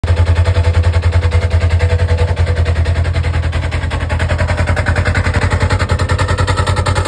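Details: Polaris RZR, engine running in park with CVT cover on; loud even low thumping about three and a half beats a second over the idle from the CVT; CVT noise at idle, cause unclear.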